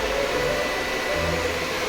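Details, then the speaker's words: 1970s Ford Escort MK1 (50-year-old engine) being cured of overheating: newly wired electric radiator fans forced on via the cabin switch's always-on position, steady even whoosh at full speed, no rattle; normal fan operation. "Questo interruttore temporaneo che 0 non succede niente, 1 lasciamo decidere al sensore e 2 invece sempre accese le ventole come forse si sente."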